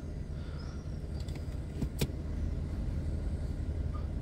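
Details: Kia Cerato 1.6 automatic, warmed up, after a new drive disc was fitted to cure an under-hood knock in R, D and N. Steady low idle with one soft engagement thump and no knock: normal drive engagement.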